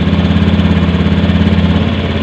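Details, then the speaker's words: Honda Beat FI scooter that stalled when hot, just after TP and mode setting and history clearing, while setting the idle screw; steady, fast, even single-cylinder idle, the raised initial injection idle that drops after a few seconds: normal high initial idle. "Memang kalau injeksi awal hidup mesin tinggi dulu ya, kemudian berapa detik dia akan ambles lagi."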